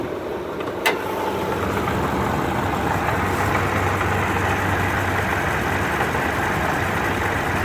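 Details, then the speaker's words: Car idling, heard from inside the car, with a rattly marble-like grinding under the hum; under the hood clearly traced to the supercharger, cause unknown. "You can kind of hear it inside the car. It sounds like marbles or something in the supercharger."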